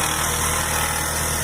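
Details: 2003 Astra idling: steady gritty whirring hiss over the tick-over; owner suspects the accessory belt tensioner bearing and plans to remove the belt to check, not confirmed.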